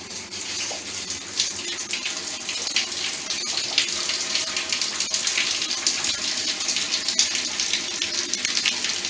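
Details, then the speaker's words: Shower running after installing a Grundfos 3.0 regenerative booster pump and a motorized valve: hard, steady hiss of water spraying, slightly louder over the first seconds, gushing out with speed; strong, full shower flow. "You can feel the power of the water coming out, that's gushing out with speed."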